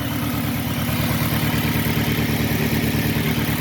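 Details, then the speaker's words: 2006 Saturn Ion 3 after temporary exhaust leak repair with JB Weld and aluminum tape: steady, even idle with regular low exhaust pulse, a little sputtering but much quieter, no puffing leak; normal idle. "A little sputtering, but it's definitely quiet."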